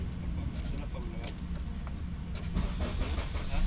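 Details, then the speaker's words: Honda CR-V after fixing its no-click, no-crank fault at the ignition switch (susian); it used to need repeated tries and would die. After a few clicks it now catches on the first turn and settles to a steady low idle, starting normally. "Pero kung dati kahit anong ganun mo mamamatay lang yan. Gumaganyan lang oh. Kahit anong ganyan mo mamamatay. Ngayon one click na permis one click na."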